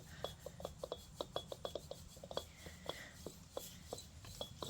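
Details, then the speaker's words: 2009 Pontiac G5 front wheel bearing, hub turned by hand during suspension and brake work: gritty rasping ticks three to four times per second. The driver-side bearing was known bad and the other was mildly noisy; both were replaced. Wheel bearing grinding. "this one doesn't feel that bad doesn't feel grindy I can kind of Hears A little bit of noise but that one's not bad it was uh this driver one which I knew was the one that was bad"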